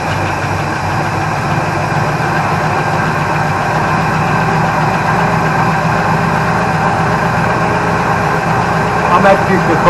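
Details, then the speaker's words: Holden HQ Ute, petrol-primed after 7–8 years sitting: steady, even idle with a smooth low rumble and no knocks or ticks. Healthy normal idle. "so anyway there's no like knocking or anything like that so I'm going to shut it down"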